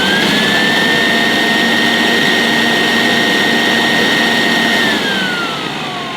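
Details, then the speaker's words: 1973 Electrolux 170 vacuum cleaner, 280 W motor, semi-refurbished: steady high motor whine falling away on switch-off with a faint squeak on rundown; owner suspects agitator or brush roll bearings, maybe needs oil or grease. "So as you can hear, a little bit of a squeak on rundown. I'm not sure if it's the agitator or the brush roll bearings, but I'm sure it's an easy fix."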